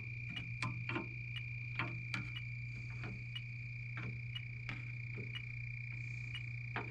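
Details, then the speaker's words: 18-year-old American Standard heat pump with no heat, restricted TXV; leak detector gives a steady high tone under quick ticking, about two per second, the fast beat indicating a minor refrigerant leak at the coil. "Well, a little bit of one there. That fast beat can tell you it's a minor leak."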